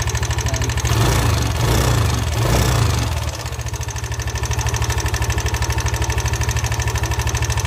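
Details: Yamaha NMAX v1 losing coolant and overheating: fast regular tapping about three a second over a lumpy idle; coolant bubbling with oil traces, suspected warped cylinder head surface.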